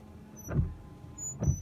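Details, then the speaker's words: 1998 Chevy pickup washer pump, just replaced with a new one: two short, low electric whirs about a second apart, spinning with no fluid load. No spray comes out; owner suspects the system is deprimed and running dry. "so the pump's definitely running but i'm not getting any washer fluid out so that's also disappointing"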